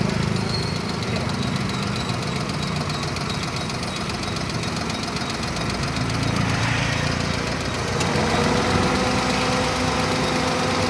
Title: 3296054 alto engine noise